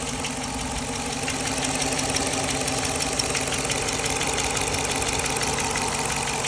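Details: Dodge Charger 5.7 Hemi at even idle with a light, regular tick about three times a second; live data shows no misfires, source unclear.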